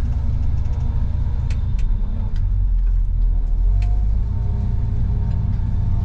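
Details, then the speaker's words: Lifted squarebody Chevy truck on test drive, hubs locked, in reverse and moving after the fix: even low driving rumble with light scattered ticks, no clunk; earlier noise from the transmission tunnel is gone. "all right no coming from the transmission tunnel anymore so i think we found a way to uh make this work"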